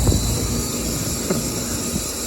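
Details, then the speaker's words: Central AC outdoor unit whose condenser fan motor stopped from a bad capacitor, now with the fan running: the compressor draws 18-19 amps with about 98° discharge, giving a loud, rough, strained drone; compressor noisy from overheating damage. "18 almost 19 amps. That compressor sounds like ass."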